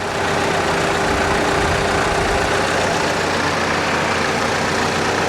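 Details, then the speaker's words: Nearly new hail-damaged VW with 13 miles, four-cylinder at idle at auction; smooth, even idle with steady hum and no knocks, ticks or misses, nice and quiet; normal idle. "she sounds healthy just looking around under the engine bay here"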